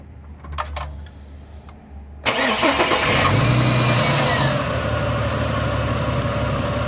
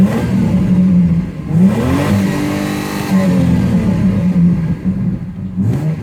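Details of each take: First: Ford BA Falcon I6 cranks, catches, then idles with an uneven stumbling beat; ignition coils suspected failing, front three still factory originals, back three previously replaced: misfire from failing ignition coil. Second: Ford BA Falcon inline-six after ignition coil replacement, fully warmed up: revs smoothly, drops back and holds an even idle with no stumble or miss; misfire appears fixed.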